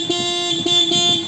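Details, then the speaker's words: Hero HF Deluxe Eco motorcycle with a self-start problem (tak-tak sound on pressing the starter, won't start); neutral light on, horn sounding a clear, steady two-tone blast with no wavering, so horn and battery supply are healthy. "देखो neutral light on है। Horn बज रहा है।"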